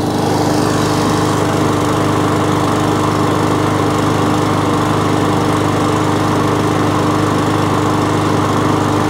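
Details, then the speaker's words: Briggs & Stratton overhead-valve E-series mower engine after a surging fix tried before replacing the carburettor; steady, even drone with constant tone and no rising or falling revs; owner notes these engines hunt slightly and aren't the smoothest, but is happy; normal running. "happy enough of that i mean but they they do hunt two degree anyway but they're not the smoothest running machines but i'm happy with that"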